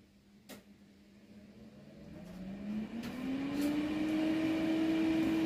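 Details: Newly bought welder's built-in cooling fan just after switching on the power; smooth hum climbing steadily in pitch as fan spins up, no rattle or rubbing; fan runs normally.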